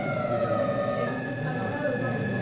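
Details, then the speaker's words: Electric motor on a frequency inverter being slowed down, with the current waveform chopped into zigzags: a loud, high-pitched tone over a rough, trembling buzz. This is characteristic inverter switching noise, said to be bad for the motor and the grid. "And in fact we see o motor ele faz esse barulho como se ele estivesse trepidando bem alto, né? Ele faz um barulho bem característico do inversor de frequência. E isso não faz bem para o motor, nem para a rede elétrica."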